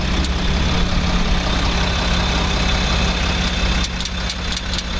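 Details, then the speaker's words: Range Rover L405 3.0 SDV6 diesel, replacement engine at 60,000 km, idling with crisp clicks from underneath when steering while stationary; power steering ruled out, source seemingly underneath the car. "Okay, it sounds like it's coming from underneath the car."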